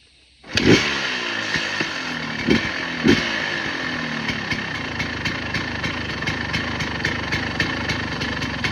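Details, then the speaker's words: KTM EXC 250 two-stroke, 70 hours, properly jetted, straight header pipe, rebuild planned at 85 hours: fires first kick, a couple of sharp blips, then settles to a crisp, even popping idle with no misfire; normal idle. "So I'll start it up in a second and give you the full sound of it. It's jetted and all that properly too because I had to go through all that process."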